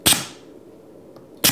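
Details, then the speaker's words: 5-way 24V pneumatic solenoid valve at only 30 PSI with open, undiffused exhaust ports: two sharp hissing pops about 1.4 seconds apart, one at each valve switch. Normal valve exhaust blast. "Now you can hear the exhaust coming out of the ports. And that's only at 30 PSI."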